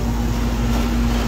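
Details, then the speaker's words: Home air conditioner whose compressor would not start: the compressor now starts and gives a steady low hum with one constant tone, no clicking or stalling. Normal compressor running. "el rencor arrancó el compresor que no estaba estaba arrancando y el compresor bueno este vamos a ver ahí se arrancó ya"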